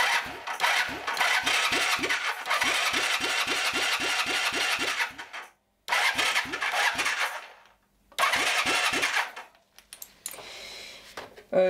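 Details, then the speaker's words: 1978 Honda CB400T, long unrun, oil pressure confirmed; starter churns with even compression pulses, stops and retries, never catching; no spark at the plug, kill switch suspected. "next thing is to check out whether we have spark or not no spark it's too bad maybe to kill switch isn't that good"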